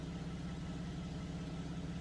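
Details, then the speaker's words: Buick Enclave idling after the broken throttle position sensor connector was replaced by re-pinning a new connector: steady, even low idle, no stumble or miss, no hesitation on the pedal; running normally after repair. "all right so as you can see that new harness is in it's looking good car sounds good all right no hesitation in the pedal"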